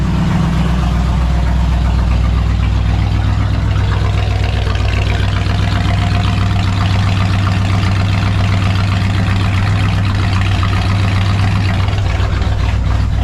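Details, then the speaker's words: 1966 Ford F100 pickup, sat unused for years, newly revived: steady, even low idle rumble with a regular pulse, no knocks or misses; choke now in use, sounds good; normal idle. "Choke on old cars for a reason. Didn't pay any mind to it anytime we've ever messed with it before. But man, sounds good."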